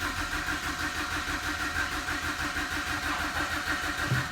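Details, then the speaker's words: 2008 BMW 118i E88 with N43 petrol engine, automatic, crank no start with no fault codes and no rpm reading on dash or scan tool: steady starter cranking, no catch or firing; engine turns over but won't start. "first of all the conditioner is a crank no start with no codes so that's here it's an e8 sorry it's a 118 i it's the n43 engine 2008."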